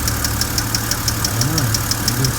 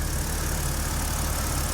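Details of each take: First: BMW N52 petrol engine at idle, lifter noise still present after the first fix attempt failed: crisp, even ticking about six per second over a steady idle. Hydraulic lifter tick, later quietened by hard revving. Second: BMW N52 petrol engine after lifter tick fix by repeated revving to 4–5000 rpm to bleed the hydraulic lifters; now dead quiet, smooth steady idle with no top-end ticking.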